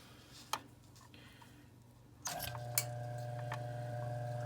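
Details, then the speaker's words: Gas boiler circulator pump after oiling and clearing debris from the linkage that had caused banging: a steady low hum with a faint, even whir and audible water circulating, no banging; the motor draws about 1.7 amps. "so now it's running smoothly after i put some oil and took off whatever kind of dirt was inside where the linkage was and i can actually hear the water circulating which i didn't hear before so that got rid of the noise"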